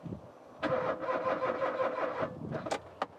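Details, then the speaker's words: 1996 Rover 216 SE Cabriolet, abandoned nearly a decade: starter cranks steadily for about two seconds with no catch while the fuel pump buzzes; the engine ran on easy-start spray and only a trickle came through the fuel line, indicating fuel starvation. "I can hear the pump buzzing to a car that won't start so I squirted a little bit of easy start in here and the thing fired up and ran quite happily on the easy start"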